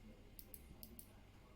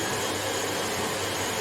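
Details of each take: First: Hoover HL500PT vacuum safety microswitch after repair: clip bent slightly for more tension so switch clicks sooner; two crisp pairs of small clicks over a quiet room, switch snapping over cleanly. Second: Hoover HL500PT vacuum, ex-display listed as not working: suction motor runs but red light blinks and brush roll won't engage; steady airy motor roar with no beater-bar thrum; traced to safety microswitch not making contact.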